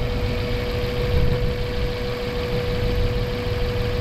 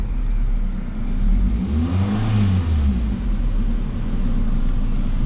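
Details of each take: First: Mazda 3 with a long-standing misfire despite new spark plugs, fuel filter and fuel pump: loud rough, uneven idle with a thin whine; one cylinder missing because a heat-cracked plastic ignition coil is leaking spark. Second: Mazda 3 after replacing ignition coil that caused long-standing misfire, check-engine code cleared: engine picks up cleanly on the blip and drops back evenly, no stumble or popping; ignition healthy now.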